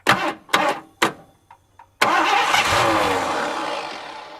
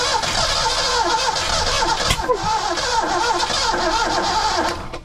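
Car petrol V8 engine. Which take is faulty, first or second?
second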